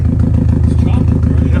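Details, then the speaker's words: 2016 Subaru WRX STI, daily driven 4 years, low compression on cylinder two, engine believed toasted: starts right up, then lumpy loud idle with uneven stumbling beat; misfire rough idle. "but it starts right up still it's crazy let's see I'm gonna let it warm up and then we'll see if it uh hear the misfire s"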